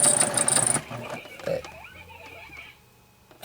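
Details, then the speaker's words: Sewing machine running in short bursts: thin high squeak over its whirr, machine less powerful than it used to be, owner fears something will snap; squeak and loss of power, cause unclear. "the machine isn't as powerful as it used to be. Right. See, I used to run this thing like an workhorse. Now I'm afraid that something's going to snap in there with that squeaker, so I tend to go a little slower with it."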